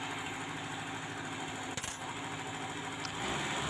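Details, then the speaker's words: Suzuki Espass van that stalled at low throttle and shook, with the distributor loosened and rotated to set timing: engine at a fast idle, steady even hum with no stumbling or misses; running smoothly before the idle is lowered. "Nah di sini RPM naik terus Lur ya RPM tinggi tapi rata gak ada jadut-jadutnya sama sekali enggak ada nyendatnya"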